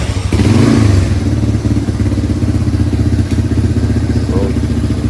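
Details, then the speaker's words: 1987 Yamaha Moto 4 200 ATV after carburetor cleaning, main jet and needle/seat repair, cold weather: uneven, ragged single-cylinder idle that only keeps running on full choke; owner suspects a lean mixture, air screw at two and a half turns. "I think this needs to be adjusted a bit more but just got to figure out why it only runs on full choke."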